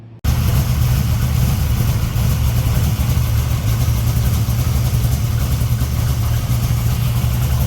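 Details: 1964 Dodge Dart gasser V8, first start after replacing broken rocker arms, with lash set at a loose 0.017 in cold, on a cold (~40°F) day. A deep, even idle with little rattle or clatter is heard. Normal idle.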